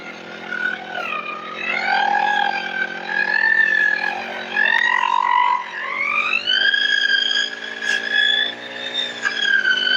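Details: Small two-stroke lawn-trimmer engine that would not start after long disuse, now running; clean buzz rising and falling with the throttle, no stumbling or cutting out. Normal running.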